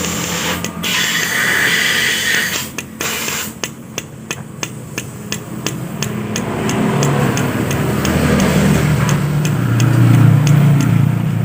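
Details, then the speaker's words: Yamaha Aerox scooter, connecting rod struck by hand with engine opened: sharp metallic clacking taps three to four a second instead of a dull thud; worn big-end bearing with play. "Hai jika yang normal saat kita pukul seperti itu ya itu cenderung suaranya degdeg bukan trek trek trek Jika suara degdeg itu menandakan bahwa di bagian bearing di bagian bearing setan ya itu tidak ada spasi ya"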